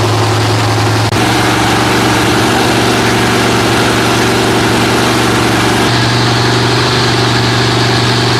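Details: Freshly rebuilt Holden 308 V8 on a part chassis, first start after rebuild: settles into an even, lopey idle with a steady low rumble and a small speed change partway through; no knocks, running healthy.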